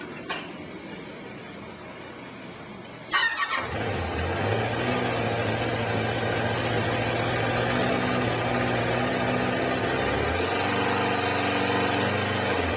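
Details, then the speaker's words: Kawasaki Concours ZG1000 after a valve adjustment and new spark plugs, before the carbs are synced: the starter whirs briefly, then the engine catches and settles into a steady, even idle with no ticks or knocks; it sounds healthy. "sounds good to me"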